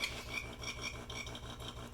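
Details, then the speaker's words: DeLonghi La Specialista espresso machine on rinse cycle: thin high-pitched squeak pulsing several times a second over the pump's low buzz, also during shots; pump squeak, owner suspects possible defect. "yeah so the pump really makes squeaking noise like kind of a high-pitched sound so you'll see I'll just start the this one which is the rinse and you'll hear you'll rehear it you see it's kind of squeaking it's super annoying"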